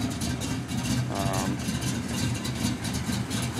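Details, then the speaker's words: 1992 Ford Mustang GT: a low, lumpy V8 idle around two beats a second, uneven and stumbling instead of a smooth hum. Very rough idle. "very rough"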